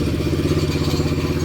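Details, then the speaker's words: Daughter's quad after repair, before a test ride: fires up and settles into a steady, even single-cylinder putter with no misses or knocks; normal idle. "It runs so well, fires up."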